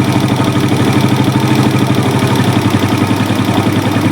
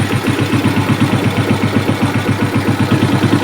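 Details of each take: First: Suzuki Smash single, warming up after carburetor adjustment, exhaust black but no smoke: idle pulses unevenly with varying beat strength and lumpy stumbling rhythm; compression leak, noise worse when hot. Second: Suzuki Smash single-cylinder, brought in for smoking and rough running when hot, with some compression leakage: after carburettor adjustment the idle thumps steadily at about four beats a second, slightly uneven; runs normal, problem was carb setting.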